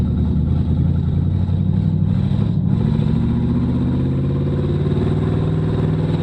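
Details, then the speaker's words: 2006 GMC Envoy with a swapped-in 1970s 305 small block, first test drive: the engine drone holds high and keeps climbing with no gear change, so the automatic is not upshifting. Kickdown cable was unhooked, and the transmission modulator valve was later found disconnected. "shift it is not shifting um could be something simple ah the kick down cable is not hooked up"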